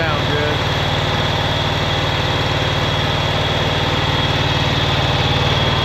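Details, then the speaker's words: 2011 John Deere Z910A zero-turn mower, Kawasaki FX651V twin-cylinder engine: rough idle with a regular hitch about three times a second, as if one cylinder keeps dropping out. Owner suspects a missing cylinder; the ignition coils and spark plugs were later replaced. "At this particular time, we're going to work on the engine a little bit because it's just not running right. Got something going on there. Sounds like it's missing a cylinder or something."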